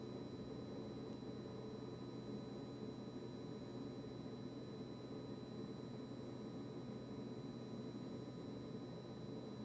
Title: Kitchen-Aid KRFC704FSS00 constant fridge compressor buzzing noise after service by Blue Diamond.